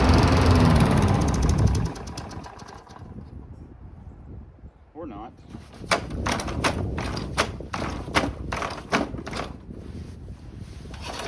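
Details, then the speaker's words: Cheap abandoned Briggs & Stratton lawn mower, unrun for years, started in cold weather: runs loud briefly, then sags and sputters with uneven popping, dripping black stuff from the muffler; owner suspects junk in the carburetor. Rough running. "dripping a little black stuff out of the muffler probably has junk in the carb give her a little shaky cheek foreign"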